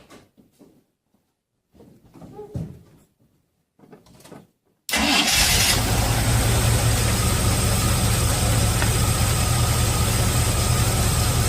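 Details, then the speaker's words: Chevy after a remote solenoid fix for a starter that wouldn't stop cranking, now on a bigger battery with heavier-gauge wire: quiet stretch, then the engine catches at once and settles to a steady idle with no starter whir lingering; normal start. "when I connected them or replace them with the the good gauge wire yeah it fires up real good"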